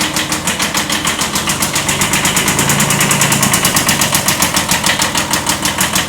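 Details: 1979 Kubota B7100 diesel, with a D950 swapped in for the old D750: sharp, even knocks about seven a second over the idle clatter. Owner describes it as a slight rod knock; lower-end knock at idle, not confirmed.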